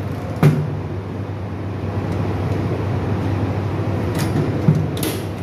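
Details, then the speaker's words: 1000 kVA substation exhaust fans, temperature-sensor controlled but run manually, switched off then back on so all start: steady low hum and airy rush, a couple of handling knocks; fans running normally. "এই বন্ধ করে দিলাম এখন আবার দিলাম দেখো হচ্ছে যে ম্যানুয়ালে এই যে চালু হয়ে গেল সবগুলোই চালু হয়ে গেল"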